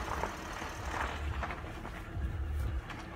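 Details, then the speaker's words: Acura MDX after the power-steering whine fix, with the upper and long hoses reinstalled and the system running to purge air. As the wheel turns left, only a soft, low engine idle is heard and there is no pump whine; the steering is quiet and healthy. "as i rotate the wheel as you can hear it's it's quiet again"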